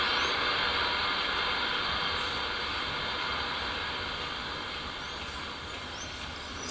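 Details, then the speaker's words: CB radio on channel 16, MFJ-1026 noise canceller turned anticlockwise: steady receiver hiss sinks over several seconds to faint background static; reduced receiver noise. "it's always good to have some background noise but that's all about one and a half on the dial it goes up to ten and that's on zero but I suppose a little bit of background noise ain't gonna hurt"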